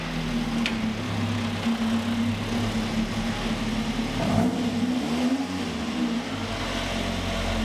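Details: Ford XR2 crossflow four-cylinder after fitting Omex individual throttle bodies: a crisp, eager engine blipping up and settling back, with revs that pick up fast and drop cleanly. Healthy, much more responsive, and sounds like a proper race car.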